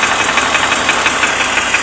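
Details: 2003 BMW 330i E46, M54B30, 158k miles: light quick ticking and rattling at idle; owner suspects bottom-end noise, possibly piston slap, present for 50,000 miles; bottom end overheated; head from another car, runs fine; cause unconfirmed.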